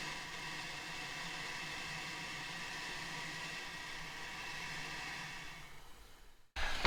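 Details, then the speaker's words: Audi 2.2 five-cylinder with Bosch K-Jetronic, bench-testing five new injectors: an even, steady spray hiss, with pitch differing at idle, half and full throttle, and identical spray patterns on all five. Injectors are spraying normally. "absolutely spot on and you can hear from them from the noise of them as well they have a different pitch at uh you know idle half throttle and full throttle and the spray pattern was identical in all five"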